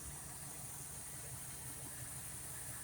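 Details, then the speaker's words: Old carbureted engine ("Betty") at idle after setting base timing, backing mixture screws out a quarter turn and lowering the idle screw; even, steady low rumble with no misses or hunting, sounding much better; normal idle. "oh yeah she sounds much better now"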